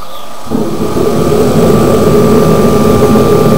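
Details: Kerosene shop heater whose fan motor had seized and was freed, first fired for winter; steady roaring burner with even fan hum and faint high whistle: lit and running smoothly after a reluctant start.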